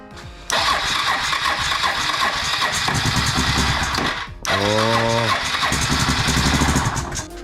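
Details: Suzuki DR650 after first service, choke out, no choke cable fitted and spark plugs not replaced: two long bursts of starter cranking that never catch, with music behind; turns over but won't fire, owner suspects it needs more fuel.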